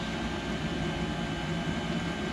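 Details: Chinese 5kW diesel heater in a bus-to-RV conversion, first firing, fuel pumped from a tank in the basement: smooth steady fan rush over low even combustion hum, no surging or knocking; heater running normally.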